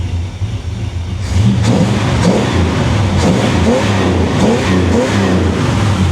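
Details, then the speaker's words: 1957 Chevy Bel Air V8, cold, carburetor retightened and vacuum lines reconnected, true dual exhaust without crossover: low burble rising in clean repeated blips, deeper rush as the secondaries open; normal free rev. "listen to that true dual exhaust no crossover pipes each exhaust pipe goes straight to that side of the engine doesn't she sound good I like where the idle sitting at sounds nice"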